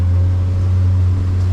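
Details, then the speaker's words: 1987 Seachaser boat on a water test: the outboard drones deeply and steadily at an even pitch under way, with no hesitation or misses; it runs well with the adjustment set correctly. "he's got the adjustment set good like I say there's no hesitation the motor motor runs really good so I'm going to straighten this out"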